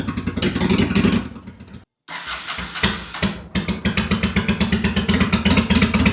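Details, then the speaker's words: 2001 Honda Shadow VT750 V-twin after oil change: fires unevenly with lumpy stumbling pulses, cuts out and restarts rough; rear cylinder smoking, suspected carb dumping fuel into that cylinder; rough running and hard restart. "See, this is weird to me. It keeps not wanting to restart and then that top that rear cylinder is smoking."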